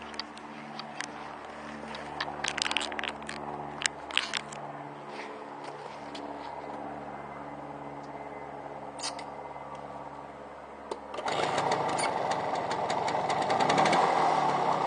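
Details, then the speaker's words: 1968 Suzuki KT120 single-cylinder two-stroke, 4,692 miles, fresh shop service with new carburetor and fuel petcock: kick-started into a quick, crisp, even popping idle with no misses; normal two-stroke idle. "neat little bike we just ran it through the shop got it running good it's got a new fuel petcock new carburetor brand new tires i'll fire it up so you can see how she runs"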